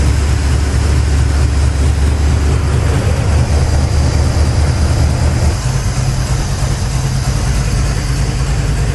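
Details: 1983 Chevy C10 square body, 350 V8, just fitted new Holley 4150 750 replacing the Quadrajet, first start in a very cold shop, choke kicked off: steady, even deep firm idle, no stumble or misfire; running smoothly, far better than before.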